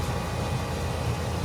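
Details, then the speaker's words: Trane HVAC unit in cooling, second-stage compressor: loud, rough rumbling run with gritty roar over low hum; sounds terrible, pulling 15 amps, tech suspects compressor phased wrong; melted wire found. "Second stage. Sounds terrible. Stays sounding terrible."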